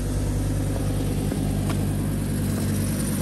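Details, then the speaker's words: Fiat Coupe idling outside after its first start in about 3 months. Steady, even low idle with no knocks, ticks or misses, though it is giving off some exhaust fumes ("gassing a bit"). Runs cleanly; normal idle. "so she's open she's out she's running outside"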